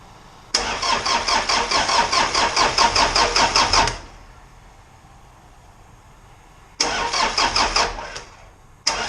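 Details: Isuzu 4BD2T diesel on its first crank after the build, fuel not yet primed: an even, rhythmic dry crank in bursts of a few seconds without firing, building oil pressure. The starter had sat long and not engaged, and the battery is on a 12 amp charge.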